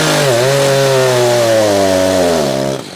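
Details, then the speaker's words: Echo CS-590 chainsaw cutting wood during carburetor tuning. The high-rev tone sags and labors, bogging under load with too little torque. The high-speed mixture is too lean, and the H screw is turned left a quarter turn at a time. "All right, did you hear that? That means she's too lean. We don't have enough torque."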